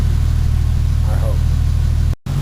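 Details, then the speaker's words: 1953 Pontiac under restoration, first start after gas poured into the carburetor; fuel pump tested fine: catches and settles into a steady, deep, even low-rumbling idle. Fuel line between pump and carburetor leaking. Engine running. "I put gas in the carburetor now it's fire rough oh there's nothing wrong"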